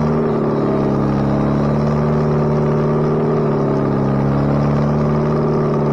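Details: Bobcat 642B skid steer after head gasket replacement, working: steady, even drone holding constant speed with smooth hum, no knocks or misses; runs pretty good now. Normal running under load.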